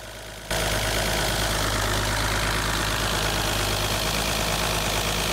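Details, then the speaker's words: Mercedes W114 M110 six-cylinder with D-Jetronic injection, fuel pressure lowered from too high to 1.9 bar (28 psi): idle settles steady and even, constant hum, no stumbles or hunting; normal idle after adjustment. "I keep turning he that idle is getting smooth and constant 1.9 bar or 28 PSI is okay"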